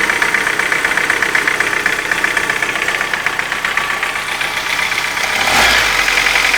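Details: Light rapid ticking about four a second over a steady warm idle; tapping appeared after hydraulic lifters were replaced and is absent on a cold engine, cause not pinned down.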